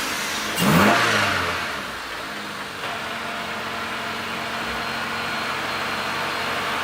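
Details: Honda after a head gasket replacement, first start with the radiator refilled and battery reconnected: starter catches quickly, revs flare briefly, then an even, steady run with no knocking or misfire.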